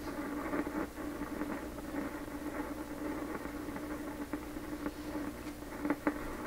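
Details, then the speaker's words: 1928 RCA Victor Model 28V tube radio after the capacitor-can rebuild, at around 87 volts with the antenna connected: irregular sharp pops and crackles over a steady low hum; audio crackling, source not yet found. "Okay, I don't like all the pops and clicks, but here we go."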